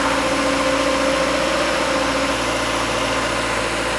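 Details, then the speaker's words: 2022 Subaru BRZ wreck rebuild, first start after engine repair with no radiator fitted, so not at operating temperature; steady, even idle with a smooth hum and no knocks, misses or ticks; normal idle. "we won't be able to get it to operating temperature because we don't have any radiator right now yet but uh at least engine sounds good"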